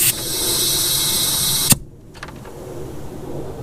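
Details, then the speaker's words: Turbocharged 2006 Subaru Impreza wagon, about 100,000 miles, engine off during a boost leak test with shop air: loud steady rushing hiss cuts off sharply; big leak at intercooler piping from a rusted, broken clamp. "Yeah, I can definitely hear a big leak, to say the least. It sounds like it's coming from my freaking intercooler too. I could definitely hear my intercooler piping leaking right here."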